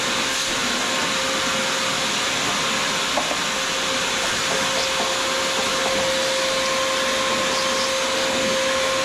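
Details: Shop vacuum used while servicing a Troy-Bilt Pony riding mower, after it sucked up something that clogged it: steady vacuum roar with a constant thin high whistle throughout. Intake partly clogged.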